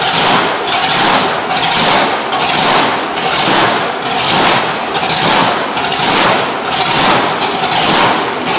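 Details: Supercharged blower engine in a Road Runner, running after fitting welded fuel tank, magneto, blower, fuel system and headers, with timing and idle fuel set. Loud, raspy idle with a lumpy surge about once a second, running steadily; normal.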